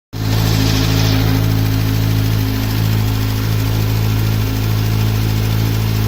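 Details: Kawasaki Z900 four-cylinder, 5000 km, cold start idle with light rapid ticking that fades once warm; cam chain tensioner or valves suspected, dealer says normal — cold-start engine ticking.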